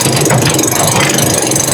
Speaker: Sakit sa tenga. So, doon na lang natin ayusin sa itaas.